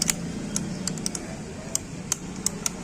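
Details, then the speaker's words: Hero bike with magneto cover removed, flywheel turned by hand, engine off: sharp irregular light clicks from loose magnet strips inside the rotor; magnet noise, common on old Splendor-type models. "तो क्या है दोस्तों इसका magnet आवाज कर रहा है"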